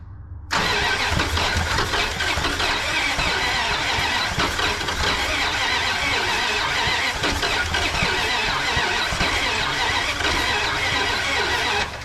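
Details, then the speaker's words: 1988 Dodge Power Ram that sat for 23 years, first started after being freed from locked-up cylinders and fitted with a new intake, choke off. Busy, clattery, rough idle that is a little noisy; it needs an oil change. Cause unclear. "A little noisy. She needs an oil change. Sounds a little rough."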